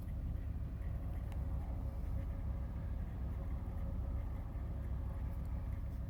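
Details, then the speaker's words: 2001 Chevrolet Monte Carlo LS idling after replacement of the radiator, both fan motors and the instrument cluster. Temperature gauge is rising and the check light is blinking. Low, even rumble with no ticking, miss or shake. Normal idle. "Then we have our temperature start rising up, and our RPM basically is running good. Everything is running the way it's supposed to be, and we just have our checking light blinking."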